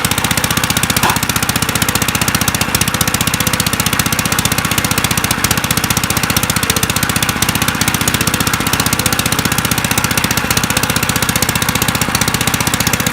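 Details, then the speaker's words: 1955 Gravely Model L single-cylinder, half-choked at mid throttle with cleaned magneto points: sharp, rapid, very even popping, raw and loud with no muffling; exhaust pipe broken off at the port threads. "it's gonna be loud because of this exhaust issue but is it snapped off or what yeah the ear is broken off the threads there"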